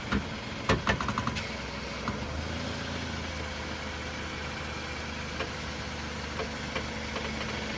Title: Noise when turning wheels 2